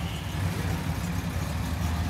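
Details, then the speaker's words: 1964 Studebaker Avanti R2 with AC, after Carter AFB carb work and leaning the mixture (vacuum much better): in gear, low even idle about 750 rpm, no stumble or miss. Normal idle. "Go ahead and drop her in gear. Nice, right about 750. She sounds good."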